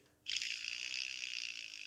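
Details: Massey Ferguson 135 six-speed gearbox restoration, new mainshaft bearing with shields both sides spun by hand: smooth, high, even hiss slowly fading with no rattle or roughness; healthy like-new bearing.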